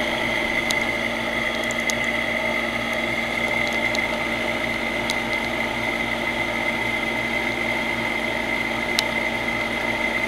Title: old HVAC unit with bad bearings